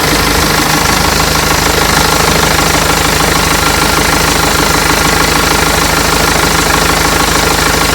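Steady, even diesel clatter at idle with a regular beat and no squeal or chirp from the belt; runs normally.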